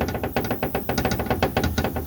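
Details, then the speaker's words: 1962 Buick Skylark driving down the road: quick, loose metallic clatter, about eight rattles a second over road noise; e-brake linkage knocked loose while the pinion seal was being replaced, owner plans to tighten it. "What the issue was, while I was doing the pinion seal, because I'm fat and don't fit underneath this car very well, I managed to bump the e-brake linkage."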